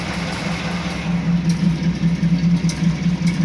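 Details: 1986 Chevy C10 with a recurring problem: an uneven, stumbling idle with a lumpy pulse about twice a second. The owner suspects a misfire; cause unconfirmed.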